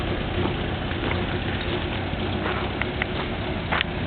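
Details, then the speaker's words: 1960 Citroën ID19 idling evenly while the suspension is lowered and raised; light quick ticking from its single-piston hydraulic pump, slower than a seven-piston unit: normal hydropneumatic suspension pump operation. "and it is a single piston hydraulic pump so it is a little bit slower than a seven piston but it still works just fine"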